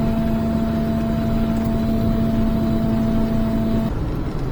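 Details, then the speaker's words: Micro Van (SE1 E12), in the cab while driving, back on stock rims with new 145R12 Yokohama Super Digger 2 mud-snow tyres, slightly off balance: steady low road hum with a faint even tone, no thumping or droning; tyres now very quiet. "Yeah, it's really nice and quiet in here now."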